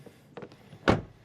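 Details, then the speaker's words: Rivian quad-motor rear door closing: single deep, clean thunk with quick decay and no trailing rattle, unlike the slightly rattling front door; solid door close. "That sounds really solid."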